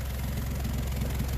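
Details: 2011 Honda CR-V 4WD (year uncertain) idling with a loud, low, rapid puffing from underneath: exhaust leak where the rotted, melted flange between intermediate pipe and rear muffler failed; fixed with an aftermarket split flange.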